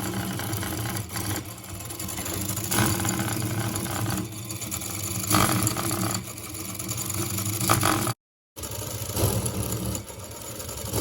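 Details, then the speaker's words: Same engine at about 2:27 am on an overnight endurance test, limping badly with an irregular, lurching beat and brief dropouts; it began limping near 11 pm, and the fault is in the gear, not the piston. Uneven running from a gear fault. "Mesinnya udah pincang parah suaranya dan ini posisi udah kegeser dari jam 11 kurang tadi ya."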